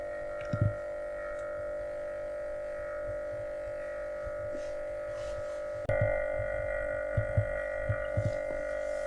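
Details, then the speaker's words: Atlant refrigerator: compressor runs with a loud, steady, tonal mid-pitched hum but doesn't get hot, and the fridge isn't cooling at all; the gauge shows it isn't empty of refrigerant; abnormal compressor hum, cause undetermined. "то есть он как сумел-таки шумит компрессор не греется получается все холодное"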